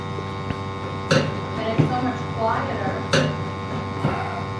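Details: Lennox steam boiler after cleaning, with a burner that had been off its seat and noisy: steady low hum and soft even flame roar; about 81.6% efficient, now firing quietly.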